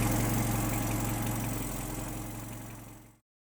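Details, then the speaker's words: Datsun 120Y small four-cylinder after filter and oil change plus timing and idle adjustment: even idle with a steady low beat around 230 per minute, no misses or knocks, then shut off; running nicely now. "um it seems to be running pretty nicely now so uh yeah I'm pretty happy with the result"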